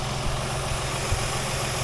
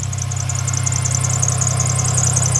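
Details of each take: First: 2007 Dodge Nitro after idler pulley replacement: steady even idle with a smooth low hum and no squeak or chirp from the belt drive; squeal gone, normal idle. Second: 2007 Dodge Nitro at idle: a high, shrill chirping squeal pulsing quickly and evenly over the engine from a worn idler pulley/belt tensioner, which is to be replaced with a new one.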